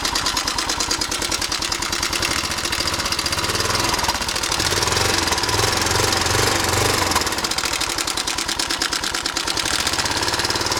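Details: 1998 Suzuki Savage 650 single at idle, 10,000 miles: a fast, uneven metallic rattle over the beat, loudest up top. The cam chain is loose because the tensioner had come completely out of its body, caught in time.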